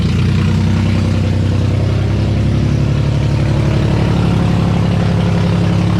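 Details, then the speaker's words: Freshly rebuilt VQ35DE swapped into a 240sx S13, after the vacuum leaks were capped: loud, deep, steady idle through open headers without stumbling or hunting. Vacuum leaks confirmed as the cause. "oh my god it works it was vacuum leaks that's all it was oh my god it works bro it's so loud i mean that's what you get when you have open headers"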